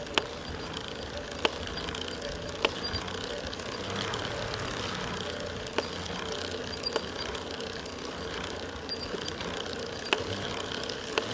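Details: Shimano EP801 e-bike drive unit, second warranty motor at about 700 km with increased axial play: a sharp single knock once per pedal turn as the right crank passes 1 o'clock, over quiet freewheel hiss; cause unconfirmed.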